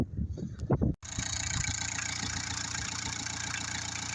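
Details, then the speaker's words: Skoda Felicia pickup small diesel after fuel filter change and bleeding fuel through to the injectors: a few rough knocks and a brief break, then it settles into a steady, even idle; running normally. "and as you can hear which is a big relief to me that means I could use it again"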